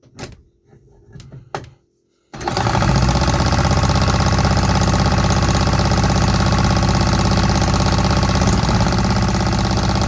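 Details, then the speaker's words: 3D-printed 125cc two-stroke engine, first test run: uneven, stumbling popping at about three per second. It runs only on starter fluid, so something is off with fuel delivery from the injector and the engine is misfiring. "We had some signs of life, but only on starter fluid. That means something is off with my fuel delivery from the injector."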